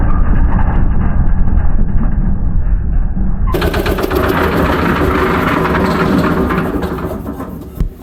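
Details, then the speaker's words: Restored concrete mixer with Lister diesel, test run after refitting drum: diesel chugging with a loud uneven rattle and grind; swaying ring gear pushes hard against the drive gear. "Jesus, this thing makes an awful racket. Really bad. It's actually pretty loud in person. The ring gear and the drive gear here, there's a bit of a sway to it, and you can definitely hear it when it's pushing against the drive gear here."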